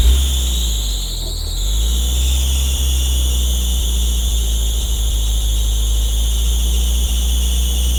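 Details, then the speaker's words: Off-road vehicle idling with a steady high-pitched squeal over it; it sounds like a belt squeak, but the owner is fairly sure it comes from the clutch, which is being replaced. "yeah so that sounded like a belt squeak right turns out it isn't um i'm pretty sure it's coming from the clutch"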